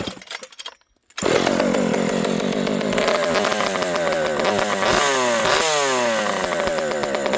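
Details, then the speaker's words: Partner P42 two-stroke chainsaw after advancing ignition timing, low jet about 1¾ turns out: screams at high revs with pitch sagging and recovering under throttle; bog after timing advance, fuel also low. "yeah just listen to this thing it it it's got a bog now with the timing advance"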